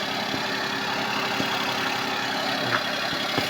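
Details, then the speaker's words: Suzuki Palette wagon cold-start idle with an even hum and faint ticks and no belt squeal, after tightening the belt; earlier squeal returned a month after a new belt. "So galing sa malamig inandar natin hindi na siya tumunog."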